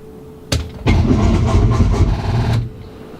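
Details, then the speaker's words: SRT car during compression test cranking with fuel disabled: starter churns in quick uneven strokes under two seconds then quits abruptly; battery dead during cranking. "god it is that she is dead no no we're gonna press this okay you know place that Powerball in there give you that boost you should be able to crank it away"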